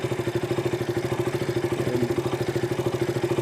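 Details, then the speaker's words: KTM RC 200 idling after the fix: a steady, even thumping at about 200 beats a minute with no stumbles. The earlier spark-arcing sound is gone and the idle is clean. "ഒന്നും കേൾക്കുന്നില്ല. നേരത്തെ ഒരു സൗണ്ട് കേൾക്കായിരുന്നു, സ്പാർക്ക് അടിക്കുന്ന ഒരു സൗണ്ട്. ഇപ്പോൾ അതെന്തായാലും ഇല്ല."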